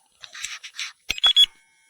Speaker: And that's the other thing, is you never know if the fan's actually on or not. Makes two little beeps. Very hard to distinguish between the two.